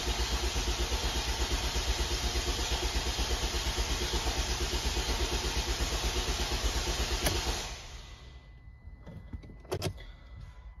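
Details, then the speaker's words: Ford Transit Connect 1.5 TDCi diesel after a head rebuild following timing belt failure; fresh oil, filter and coolant, crank sensor left off to build oil pressure; steady cranking about 167 beats a minute for eight seconds, turns freely but never fires; cranking without starting. "one lot of cranking [Music] because there's two lots of cranking might have to put the battery charger on hoping this light actually goes out"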